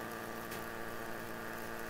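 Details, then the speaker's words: Anet A8 3D printer's always-on small cooling fan: constant buzzing hum with a rough, rattly edge that never changes; owner thinks it is just vibration from the fan, not confirmed. "I think yeah, it's just vibration from the fan."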